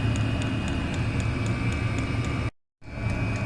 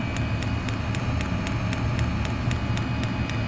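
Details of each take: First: Chinese diesel air heater running on kerosene, cover off: sharp even ticks about four a second over steady fan rush from the fuel dosing pump; owner plans wrapping it to deaden the noise. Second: Chinese diesel air heater running on kerosene, cover off: sharp even tick about three or four per second over a steady hum from the fuel dosing pump metering fuel, normal operation before soundproofing wrap.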